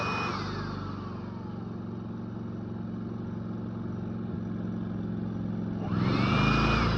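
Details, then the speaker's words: Predator 3500 inverter generator, warm, eco mode on: steady, even hum that picks up and gets louder near the end as a load is added, raising rpm back to normal; normal eco-mode speed-up under load. "So right now we have eco mode on. But when you put a load, it raises the RPMs back to normal."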